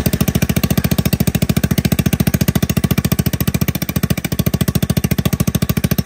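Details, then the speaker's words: ATK 125 go-kart single-cylinder with a newly fitted homemade welded muffler: sharp, even exhaust pops at about thirteen per second, loud and raspy at steady speed, only slightly quieter. Owner suspects an exhaust leak. Loud exhaust. "A little quieter. About sounds the same. It might be that exhaust leak that we're hearing so loud."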